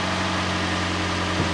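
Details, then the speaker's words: 2008 Toyota Yaris after replacing damaged exhaust manifold flange with bolt-on split flange clamp: smooth, even idle with steady low hum, no ticking or puffing, then a light rev; exhaust leak gone. "Ah, doesn't sound like an exhaust leak. That's a good sign. Let's rev it up a little. Sounds like a Y should."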